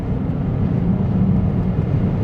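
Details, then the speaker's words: 2011 Peugeot 508 GT 2.2 HDI diesel, 200 hp, full throttle in second then fourth gear; deep flat drone with no turbo spool, no power despite actuator position correct. Live data showed severe underboost; turbo judged faulty. "so second gear my foot is all the way down there is no Turbo so fourth gear my foot is all the way down"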